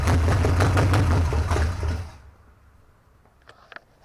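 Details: Junkyard Mopar 383 V8, first start after 30+ years sitting, new distributor fitted, gas squirted in; loud lumpy pulsing about three beats a second for two seconds then dies; engine running after long storage.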